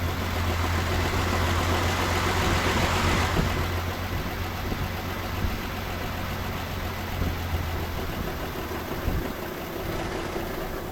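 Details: 1984 Chevrolet C10 six-cylinder, 84k miles, last tagged 1993, started with the radiator removed: steady, even idle with a constant low drone and no obvious knock or miss; the engine sounds healthy.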